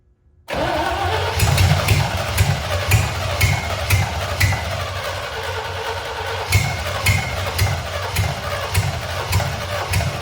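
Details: C65 dump truck left sitting about 10 years, first start of its replacement engine just after the carburetor was bolted down. It fires right up but runs lumpy, with an uneven, hunting thump; owner suspects oil in the cylinders from storage. Needs a tune-up; rough running linked to carburetor and fuel-supply faults.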